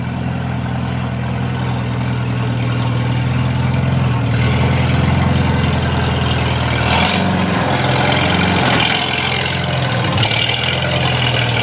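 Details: Old tractor restarted after dying from leaked-out gas, refueled and on a weak battery: deep, even thrum ticking over steadily with a couple of small throttle changes. Normal idle.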